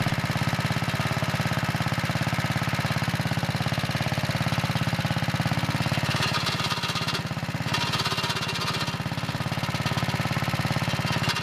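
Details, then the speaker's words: Early 1961 Wheel Horse 401 lawn tractor, first start after cleanup with belt guard refitted: small engine thumping with fast chatter near three per second; drive belt chattering with clutch pushed in, clutch not disengaging, transmission still turning, clutch/brake linkage needs readjusting. "Okay, that's not good. That's the belt chattering when I push in the clutch. So the transmission's still turning, and I won't be able to get it in gear without grinding stuff."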